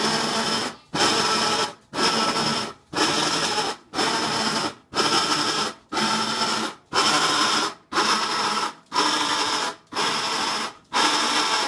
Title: Whirlpool Cabrio Washing Machine Making Noise